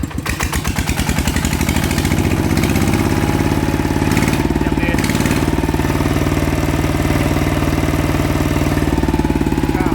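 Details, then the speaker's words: ET110 single-cylinder diesel before upgrade to 120 direct injection, balancer bearing already replaced by owner: quick, even thumping, steady beat without knocks or rattles; still quiet and usable. "ก็พี่บอกว่าเปลี่ยนลูกปืนบาลานซ์มาแล้วใช่ไหมอ่าเสียงยังเงียบดีนะครับใช้ได้นะครับ"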